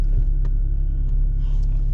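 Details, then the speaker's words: MK4 Golf after rear-end work (new springs, bump stops, brake lines, fuel tank reinstalled), reversing out over a dip: only a low, even rumble with no squeak or moan from the rear; quiet rear suspension. "wonderful so i will call that a success"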